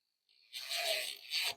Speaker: That sound is letting you know the seatbelt is now in locking mode.